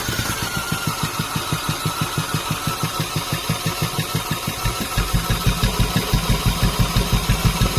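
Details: 2011 Audi A4 2.0T no-start: fast, very even, hollow cranking at about three beats a second that never catches; compression about 30 psi on all cylinders, gasoline smell in oil.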